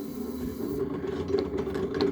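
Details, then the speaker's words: 8FUN 36V 250W e-bike hub motor running: steady whine with irregular clacks and rasping from inside; worn plastic planetary reduction gears needing replacement. "on entend que ça claque a toujours intérieur donc ça veut dire que les engrenages son musée"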